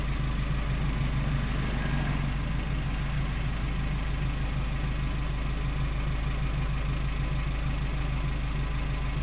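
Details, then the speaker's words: Suzuki Carry Futura pickup after repair, sound at tailpipe at idle: smooth even low rumble at steady speed, no stumbling or shaking; combustion now normal and throttle response immediate. "Tadi suaranya seperti itu ya Nah ini sudah normal suaranya sudah tidak seperti tadi"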